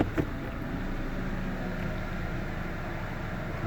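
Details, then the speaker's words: Mercedes W211 E200 after fixing the misfire by cleaning water-damaged spark plugs and coils: quiet, even idle held in gear with a steady low drone, no jerks or dropped beats, and the engine now stable. "माशाल्लाह जी, स्टैंड पे आती बिल्कुल महसूस ही नहीं हो रहा, बिल्कुल मिसिंग बिल्कुल अब नहीं है। अब इंजन भी स्टेबल हो गया।"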